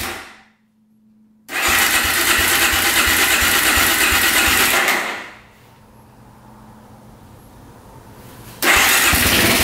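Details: 2004 Suzuki LTZ400 quad, single cylinder, after carburetor cleaning and fresh fuel: catches on choke, revs hard, drops to steady idle, picks up cleanly; idle turned up after earlier shutoff, throttle slightly low; no smoke; normal start.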